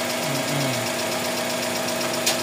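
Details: GLi 4A-FE engine at idle: light, quick, even ticking, about eight taps a second, over the engine; valve clearance too loose, needs valve shim correction, earlier louder knock gone after timing fix.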